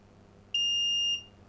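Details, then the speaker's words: Philips 138 Mistral Four valve radio under restoration, continuity check on the output transformer: one clean, high, steady beep about half a second long on a quiet bench; the winding has continuity. "so i thought i would check the continuity on the output transformer"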